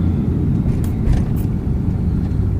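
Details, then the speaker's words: 1959 Cadillac Sedan DeVille V8 after shop work on exhaust leak, carb, choke, fuel line, transmission driveshaft and u-joints: cruising with deep even low rumble, steady pitch, no knocks or misses; runs smoothly, purrs. "I just could not believe how good the car is running. Purrs like a kitty is what I told him, and that is sure is the truth."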